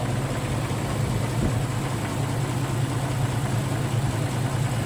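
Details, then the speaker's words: 34-year-old 1990 Jeep Cherokee XJ straight-six after fuel pump work, idling while warming up, tank nearly empty: steady, even low rumble with no shake, miss, knock or vibration; healthy smooth idle. "Bon, je vais le laisser tourner comme ça, on va le laisser chauffer, tranquille."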